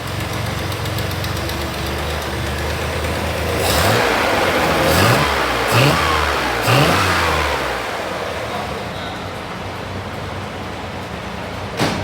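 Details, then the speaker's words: Flat-six in the "Sweet Caroline" build with a huge exhaust leak between the head and the exhaust tube, unfixable without welding and machining; jetting a little fat. It revs in sharp bursts with a raspy, chuffing edge: exhaust leak that owner says robs torque and performance. "So I know that exhaust leak is killing me. It's killing my torque, killing my performance."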